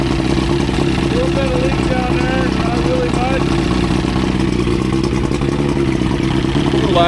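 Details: Evinrude 85 hp outboard after head gasket replacement and new spark plugs (had overheated, leaked water from heads), on a water hookup: steady, even hum at fast idle, no skips or knocking; running healthy.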